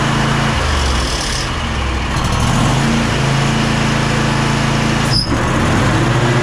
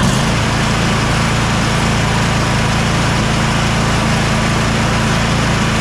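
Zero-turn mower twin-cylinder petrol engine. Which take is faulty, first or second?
first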